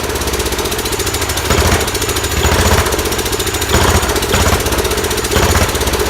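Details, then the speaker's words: Large Kohler K331 single-cylinder engine on its second start, muffler just fitted, running on sprayed carb cleaner: a strong thumping beat with sharp pops about every second as it backfires through the carburetor, but it runs well. "Seem to like carb cleaner is backfiring out the carb a little bit, but holy crap, this thing runs good."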